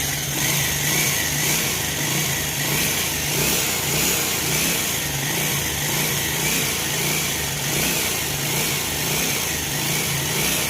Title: Pulsar 180f engine noise problem full engine open